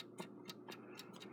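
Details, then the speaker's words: Westclox Big Ben Chime Alarm style 4 clock during rebuild reassembly, running on a small table: quiet ticking in an uneven limping rhythm with alternating long and short gaps; clock is out of beat. "like it's out of beat which is very annoying"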